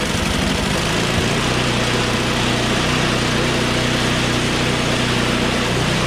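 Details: Small engine on choke, high throttle, started with carb spray: catches at once and settles into an even steady putter with no misses; stalled once off choke, stiff recoil noted.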